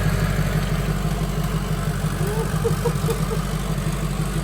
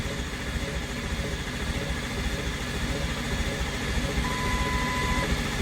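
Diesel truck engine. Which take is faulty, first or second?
second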